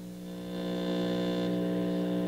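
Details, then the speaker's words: 1964 Star-Lite vacuum tube radio on FM between stations. A steady low buzzy mains hum sits under the hiss and is still present after the filter capacitors were replaced. It was traced to pickup from poorly routed wiring near the volume control. "i thought it was the filter capacitors which i replaced but then even then the home was still there and so i just decided i really don't like it"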